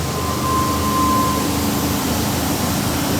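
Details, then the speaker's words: Old Jeep that had stopped running, restarted after adding fuel because the gas gauge reads full falsely, on a cold day around 20°: a steady, even drone with constant pitch and no ticking or misses; normal running. "now I know the gas gauge doesn't work you hear the engine sounds good"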